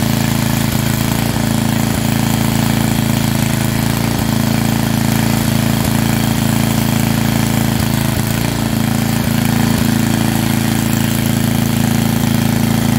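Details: Estate-sale generator, likely under 20 years old, after a tune-up that flushed fuel at least five years old and dark brown, took apart the carburetor and put in fresh oil: a strong, even drone at constant speed with no surging or hunting. Normal running.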